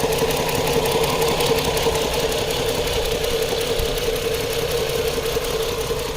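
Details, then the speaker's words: 2010 Chrysler Sebring 2.7L V6 convertible, bought running then ran rough: uneven stumbling idle from cylinder two misfire, its connector clip found off; coils swapped to test. "that's our misfiring cylinder it is not a crank sensor is the connector"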